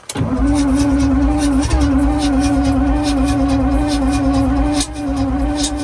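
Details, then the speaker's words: Alvis Stalwart not run for 30 years, start attempt on new batteries: after throttle alone fails, engine catches on Easy Start with a rough, uneven beat around three and a half firings a second; no oil pressure shown afterwards. "Okay, that doesn't work. Just going to get ready with the easy start. I don't believe it."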